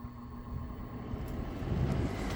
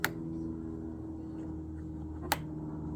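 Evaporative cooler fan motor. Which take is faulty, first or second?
second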